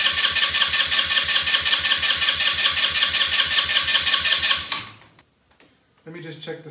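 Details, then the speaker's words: Elstar 150cc single-gear 2WD quad bike, long stored and out of gear: steady starter cranking at about three turns a second never catches. Cranks but won't start; cause unconfirmed. "yeah i'm just gonna have a look at the spark plug again so the plug was a bit dirty so we'll try it again"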